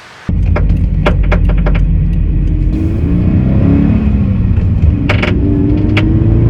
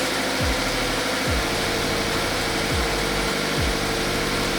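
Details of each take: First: Subaru BRZ FA20 engine after track laps at Sandown: sharp irregular pops and cracks while revving, first thought pre-detonation or intake backfire; found to be backfiring from a missing direct injector seal on one cylinder. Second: Subaru BRZ FA20 after repair of a mysterious knock blamed on a missing direct injector seal, reassembled: even, ultra-quiet idle with steady low hum, no ticking or stumble; normal idle, no fuel smell or visible leak.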